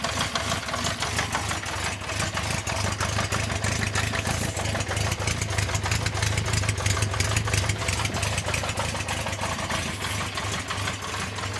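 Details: 1974 Honda CB350 Four, laid up about 20 years with refurbished carbs, started on choke with the fuel turned on: a lumpy, uneven idle with irregular beats about three a second, suspected to be running on only two cylinders, then cuts out. Rough idle, misfire.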